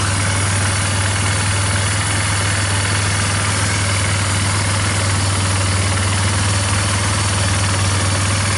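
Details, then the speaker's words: Yamaha Bear Tracker 250 (YTM250) ATV single-cylinder idling after a new carburetor and intake, lights on and owner thinks it's charging; steady thump about four beats a second, even with no stumbling, a normal healthy idle. "I'm pushing it in for now wow even going to idle got to love that"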